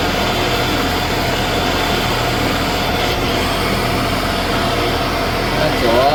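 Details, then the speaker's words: 1979 Shopsmith Mark 5 after quill replacement, with the new quill and drive running: an even, steady hum at constant speed with no knocking or grinding, and the whole machine much quieter than before; normal running. "yeah I I not only is the whole machine much quieter that looks much better"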